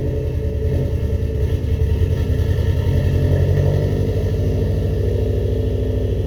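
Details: First start-up after rebuilding the cylinder heads: steady low rumbling idle with an even pulse and no knocking or tapping on top; the engine runs fine after the head rebuild.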